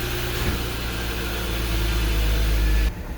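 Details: 2012 Porsche Cayenne after a low battery and sitting a couple of days, started with a jump starter, warning lights flashing: low, steady idle with an even beat and no misses or knocks. Normal idle.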